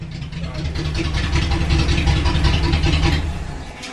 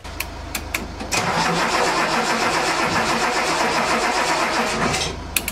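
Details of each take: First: Datsun 280Z after fuel pump power wired directly, bypassing the suspected relay: deep even idle rumble with a smooth steady beat and no stumbles or ticks; engine now runs and idles healthy. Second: Datsun 280Z crank no-start. About four seconds of steady cranking at roughly four turns a second with no catch. A loose distributor connection was found.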